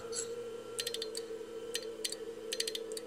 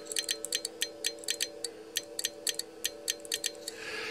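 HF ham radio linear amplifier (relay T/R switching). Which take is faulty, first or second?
first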